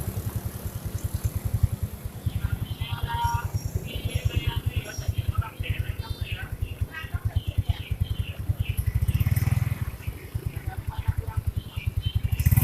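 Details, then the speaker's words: First-generation Yamaha Mio scooter after fix: CVT cover shaft cleaned and greased; idles and revs with even steady beat, no rattle or whine from belt drive, normal. "Suaranya wis normal, masalahnya cuma di as tadi top ya."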